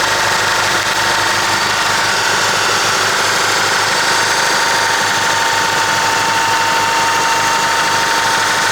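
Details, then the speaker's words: 1996 Honda Accord (CD7), cold start on jumper cables: light quick ticking over idle, suspected valve train but unverified; idle rpm also hunts up and down, likely a dirty IACV. "you guys were able to hear kind of like that noise coming from the valve chain, but it's having that issue."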